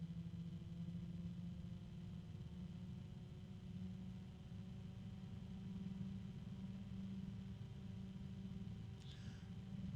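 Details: Small fan with cheap sleeve/rifle bearing run at very low voltage (about 5 V or less): steady low hum with faint tonal whine and harmonic; bearing ticking audible at low speed, cause not confirmed.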